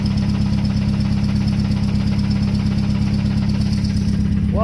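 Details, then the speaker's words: RX-7 with SR20VET swap, idling in neutral after letting go near 7,500 rpm redline with misfire: regular deep knock over a rough idle, nearly two beats a second; rod knock, not transmission, dead cylinder, engine blown. "we also have fucking rod knock. How about that? That's not my transmission."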